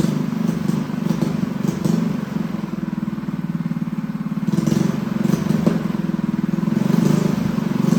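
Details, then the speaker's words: Newly built Honda GX200 clone single-cylinder engine, started on choke: putters at fast idle with an uneven surging beat; lean running from a clogged carb jet, needs jetting, jet to be increased gradually. "Well guys, she sounds pretty good. So she definitely needs to be jetted. So that will be our next step."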